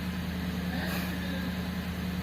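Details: Engine that had a crank-no-start from a stuck fuel pump motor, now running; even low hum at one steady speed, no stumbles, knocks or surging: normal idle.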